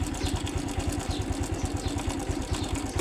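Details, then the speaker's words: Honda Wave 110i small motorcycle engine idling with a faint, uneven metallic rattle, not loud; suspected slack timing chain, cylinder block found with a hole; cover to be removed to check chain tension. "รู้สึกว่าจะมีเสียงโซ่ลินหย่อนครับอนี่ครับมีเสียงโซ่นิดนึงครับไม่ดังแรงนะครับ"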